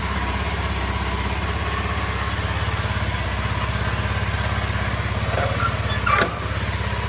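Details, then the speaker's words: Indian-model Kawasaki KLX 230 at idle during a glass-of-water vibration test: a steady, even single-cylinder thump with no misses or rattles. The water doesn't spill; there is hardly any vibration and the engine idles smoothly and healthy. "ತುಂಬಾ vibration ಇಲ್ಲ like vibration test ಎಲ್ಲ ನೋಡಿದ್ರೆ ಅನ್ಸುತ್ತೆ ಹೇಳಬೇಕು ಅಂದ್ರೆ ಅಷ್ಟಲ್ಲ vibrations ಇಲ್ಲವೇ ಇಲ್ಲ ಗಾಡಿಲಿ"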